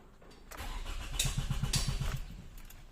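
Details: 2006 Toyota Camry automatic with a no-start after alternator replacement, no fault codes stored, crank sensor reading not rising; starter turns engine over at a steady, even four beats per second for a couple of seconds but it never fires: crank no-start.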